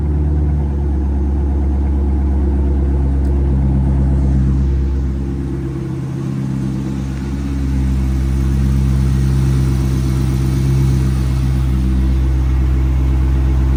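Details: C5 Corvette V8 after rodent-infestation cleanup and rebuild, first fire-up: smooth even rumble with steady low beat, no knocks or ticks; idling cleanly.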